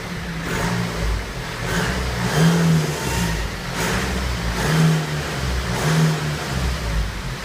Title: BMW 320d 2013/01 F31 strange noise